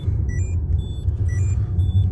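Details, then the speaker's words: Part-exchange car with 75,000 miles, driving: deep steady low-frequency drone with dash chimes, unchanged by moving the clutch in and out; a bearing is suspected. "Yeah, moving the clutch in and out makes no difference at all. So, it's more likely to be a bearing"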